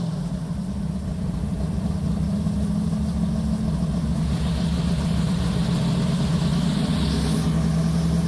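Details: Deep, lumpy idle with a few throttle blips, even firing, no knocks or ticks, from a big-block Mopar V8; normal healthy idle.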